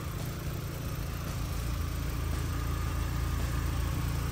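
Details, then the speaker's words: MK1 Volkswagen with 1.8T engine swap and MagnaFlow exhaust: low, smooth, even idle rumble with no ticks or knocks; quiet, healthy normal idle. "MagnaFlow exhaust doesn't really make noise cars running healthy hear that Motors quiet"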